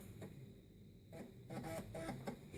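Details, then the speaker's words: Compaq Armada 7770DMT laptop hard drive copying files to the diagnostics partition during a Windows 95 OSR2 install: quiet spin hum with short bursts of quick seek clicks and chatter, no scraping or repeated clunks; a healthy drive. "copying files to the Diagnostics partition that sounds like a healthy drive to me"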